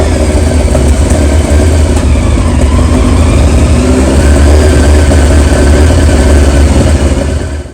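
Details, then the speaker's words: 2001 Yamaha R1 (5JJ) idling: loud uneven running with irregular pops and stumbles, revs not climbing cleanly on throttle; dirty carbs suspected, possibly electrical, not confirmed. "It's running rough. It's popping a lot. You know, when you give it throttle, it's not revving clean. So that's a pretty good sign that the carbs are probably dirty."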